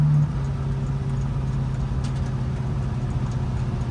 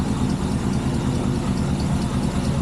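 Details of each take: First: Chevrolet El Camino V8 idling, alternator charging 14.5 V, a couple of exhaust leaks audible; deep, smooth, even rumble, no misses, ticks or knocks; normal healthy idle. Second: El Camino at idle after a new alternator wire and setting of timing, idle and air mixture screws; charging reads about 14.5 V. Steady, lumpy, V8-sounding idle with a faint puffing tick on the exhaust pulses from a couple of exhaust leaks.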